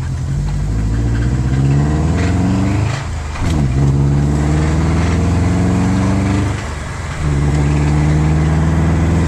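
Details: 2006 Subaru Impreza: after a clunk on shifting first to second, the petrol engine revs with a rough uneven knock under its drone, dropping away between revs; adding a litre of 5W-30 changed nothing, it worsened and now stalls within seconds.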